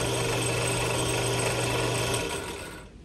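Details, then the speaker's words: Central Machinery (Harbor Freight) 8-inch 5-speed bench drill press, a couple of years old with no problems; steady motor hum with light belt whir at constant speed, no knocking or grinding, spinning down smoothly – normal running. "sound horrible, does it? It's a good machine for the money."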